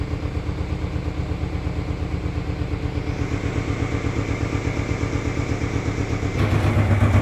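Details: 1997 Ford Ranger 4-cylinder, unused since 2011, with a replaced fuel pump and new battery but old gasoline and spark plugs not yet replaced: uneven, lumpy rough idle pulses rising slightly in loudness. Cause unknown.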